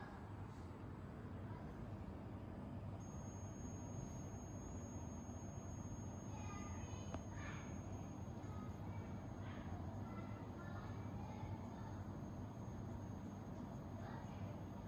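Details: Hyperjuice charger charging a Thinkpad laptop: thin, steady high-pitched whine/buzz in a quiet room; an Innergie charger on the same cable made no such noise, so the Hyperjuice charger is suspected.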